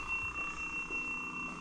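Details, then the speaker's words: Nissan Gloria Y32 at key-on: loud high-pitched beeps in a short on-off pattern from sunroof, HICAS and door alarms; a small air-pump-like braking system noise was heard just before. Dashboard warning beeping at key-on. "There's lots of beeping happening. What's happening? Oh my gosh, that is quite a loud tone."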